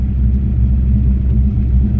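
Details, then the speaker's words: Ford Mustang SN95 carb-swapped V8 after carb tuning, test drive: deep even rumble returning smoothly to idle without stumble or surge; mixture slightly lean, normal. "Oh yeah, he comes back down to idle real nice, smooth."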